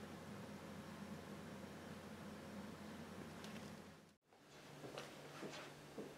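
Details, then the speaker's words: PC quieted by running fans on 5V or 9V via molex adapters, heard from behind the case: only a faint, steady low hum with no whine, buzz or rattle; normal quiet running. "now you can hear it's quite silent this is from behind and you can see this is from behind and you can hear how silent it is"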